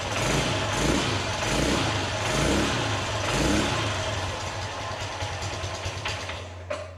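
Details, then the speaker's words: Polaris 300 Sportsman/Hawkeye single-cylinder engine, first start after rebuild with choke; lumpy, choked idle chuffing about three times a second with hissy leak at exhaust pipe joint; muffler blocked, almost no flow out; restricted exhaust. "Alright, well it seems to run. The exhaust, the muffler is blocked. It sounds from my hand there is like no flow coming out of there. That's why it's all trying to bust out past this joint."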